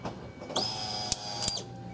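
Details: 2001 Ford Escape 2.0L after replacing the bad fuel pump and Motorcraft fuel filter, key turned on: high steady electric whine for about a second then stops; new fuel pump priming normally, no leaks.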